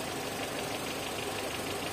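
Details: Renault Clio 1.0 16v with intermittent no-start, idling during oscilloscope check of crank sensor after a terminal was adjusted and cleaned, likely the fault: steady, even idle, no stumble, miss or hunting; normal idle.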